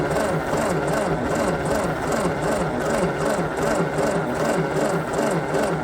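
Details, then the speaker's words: 1952 Ford 8N tractor, owner suspects stuck rings; new 12 V coil with resistor: starter turns engine in steady, slowish rhythm about 77 beats a minute, never catches. Cranking no-start. "Okay. So, basically, since I'm suspecting stuck rings, I am I put some uh super thick oil, like 90 weight in there. So, that'll bring my compression up."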